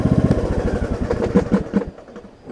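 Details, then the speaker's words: John Deere D105 riding mower, about 62 to 64 hours, revived after sitting for an unknown time: single-cylinder engine with a quick, even beat that fades off, nothing irregular; running just fine now. "Got 64 hours on this thing. I mean, you can hear it's running just fine now."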